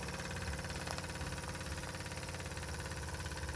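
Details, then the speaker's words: Jensen #5 steam engine after the oscillating cylinder was brought firmly against the steam chest by machining the stanchion: soft, quick, even chuffing at three to four beats a second with no hiss. Blow-by is cured and it runs steam tight. "really runs a treat."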